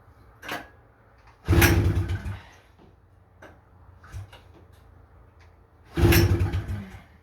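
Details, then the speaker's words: 1977 Honda FL250 Odyssey, pull-start attempt with choke on and throttle zip-tied: two short bursts where it nearly catches and sputters then dies; won't keep running, owner suspects rusted carburetor with broken parts. "She tried. She's trying. She's definitely trying."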